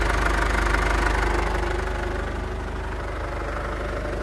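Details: 2011 Ford Ranger diesel, after fixing a no-start with no fuel reaching the common rail: starts on one click, even diesel clatter at about three pulses a second that settles slightly after startup. Normal idle.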